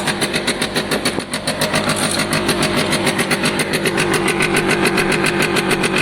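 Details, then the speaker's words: Piaggio Diesis 100cc two-stroke scooter running, with a sharp regular puffing tick about six times a second over the exhaust note. A small hole is visible in the exhaust, and another leak is heard but not seen. Exhaust leak. "But at the moment it sounds healthy-ish. I can hear a hole somewhere else, but I can't see one."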